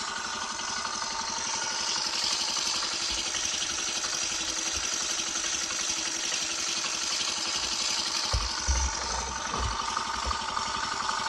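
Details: Used Cub small single-cylinder engine on first start after being removed, disassembled and checked internally, before registration; settles into a fast, fairly even idle with light tappety chatter: normal idle.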